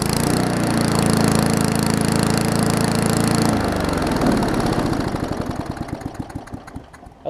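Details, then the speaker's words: Finished Murray push mower with Briggs Classic engine, original muffler, toggle kill switch wiring: even, steady single-cylinder beat for a few seconds, then winds down after shutoff; sounds healthy. "mower's not worth that runs and cuts fine as it is so that's the way it's going to be"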